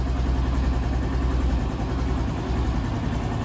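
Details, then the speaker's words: Honda Pop fuel-injected small motorcycle engine at idle after the wrongly removed bolt (cam chain tensioner) was refitted correctly; the top-end rattle has stopped, now a smooth, even idle with no ticking, noise 100% gone. "A motinha ficou top, o barulhinho ficou 100% zerado."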